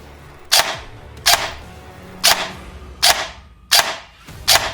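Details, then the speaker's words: Cheaper airsoft AEG with a micro-switch MOSFET, wired to Tamiya, run as a comparison to the Novritsch SSR4: six sharp snappy shots at an uneven trigger pace, clean cycling and no grinding, a healthy gearbox. "So even so, it's a pretty snappy gun."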